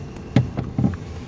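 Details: 2019 Toyota Rush, engine idling while steering turned left and right: two or three dull low clunks in quick succession under the steering column; suspension found tight, no play; cause was a loose steering column bolt and bushing.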